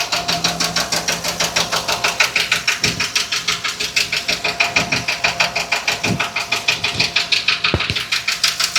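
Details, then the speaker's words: 2020 Ford F53 with 7.3 V8 petrol engine, code P0301, during a power balance test at idle: sharp, steady tapping about three times a second and loud engine noise, the valve tapping of a misfiring cylinder. "motor está haciendo alarm noise, make a noise. Mucho ruido está haciendo el motor."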